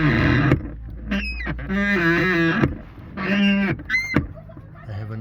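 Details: Ford Kuga 2: loud honking squeaks as the car door swings, from a dry, binding door check strap; door squeak fixed by removing and adjusting the check.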